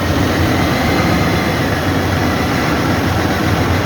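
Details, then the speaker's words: First start of a Freightliner Columbia diesel truck after its engine was rebuilt. A loud, steady rumble holds an even roar with no knocking or misses; the rebuilt engine runs healthy. "показываем первый запуск автомобиля такая columbia заказан автомобиль должен тоже помощь самого перебирали двигатель перебирали сейчас покажу его первый запуск"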